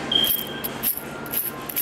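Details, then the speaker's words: Clutch release (throwout) bearing removed during a Clutch Masters twin-disc clutch install, spun by hand: gritty, jingly metallic rattle in bursts about every half second; the bearing is shot, worn out. "you guys take a close listen, closely, you could hear that this Doral bearing was shot."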